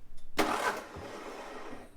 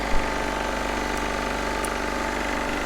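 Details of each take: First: Onan MEP-016B 3 kW military single-cylinder diesel generator, fuel lines being bled; short burst of cranking that churns briefly then fades without catching, fuel not reaching the injector: crank no start, no fuel at injector. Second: Onan MEP-016B 3 kW military single-cylinder diesel generator, revived, started outdoors cold to warm up: steady, even chug, no knocks, misses or hunting, clean healthy idle.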